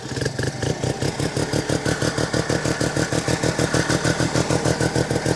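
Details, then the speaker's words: 1972 Arctic Cat Panther 303 snowmobile, Sachs Wankel rotary engine, cold start around 15 below with wind chill, choke partly on: fast, even idle about three pulses per second, a bit high, as expected cold; warm idle reportedly not smooth enough. "A little bit high idle. Of course, I got the choke on a little bit. It's cold. That's how it should sound, a little bit idled down though."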